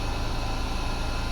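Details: Woodturning lathe spinning a large spindle blank between centres, speed raised to 15 to get past the rocking rather than lowered; even, low steady hum with no rocking thump or beat; running smoothly.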